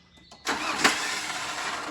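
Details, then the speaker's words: Nissan Frontier diesel, hood open: on cranking the starter motor spins freely with high whirring for over a second without turning the engine; starter slipping, Bendix drive or planetary gear suspected, starter to be removed. "Olha o barulho que faz, ó. Dá outra. Tá vendo? Tá patinando. Então pode ser o Benz, pode ser a planetária."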